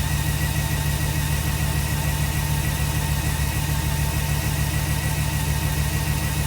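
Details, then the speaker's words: 2006 Jeep SRT8 6.1 Hemi, high mileage, cold start after new coils, plugs and rebuilt injectors: steady uneven lope with a regular stumble about three times a second and visible shake; cylinder 5 misfire, code P0305 set. "Now right now, I don't know if you can hear it, but you can actually hear the misfire where the vehicle's got a bit of a chug."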